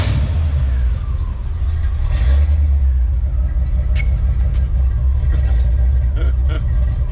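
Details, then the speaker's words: 1988 Ford Mustang GT V8 restarted after sitting 19 years, out of gear: deep, steady low rumble with no ticking or misses; sounds good at idle. "sounds pretty good all right so there you go guys"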